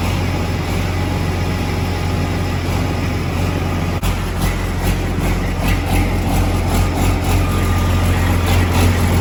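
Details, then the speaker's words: Detroit Series 60 diesel swapped into a Peterbilt, first start after priming the fuel, with no coolant yet: a heavy, low, steady idle with a few soft uneven pops early on as air works through, settling smooth. Normal idle. "But we got her primed up, fuel's in the system, and uh she cracked off. You hear it kind of a little farting and this and that as it works some air and some things through."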